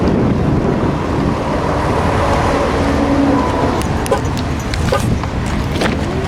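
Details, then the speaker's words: Mercedes C300, 110,000 miles, after repairing the failed front driveshaft U-joint: steady, even road and engine drone in gear with no clunks, knocks or vibration; driveline smooth. "This is so much more pleasant when you put it in gear now."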